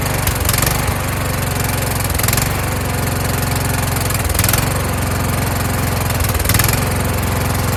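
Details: Kohler Courage engine on a tractor, winter, engine cover off, after swapping in the donor engine's carburetor with a self-returning choke: steady fast-idle chug rising and falling slightly every two seconds. Normal running with a slight surge.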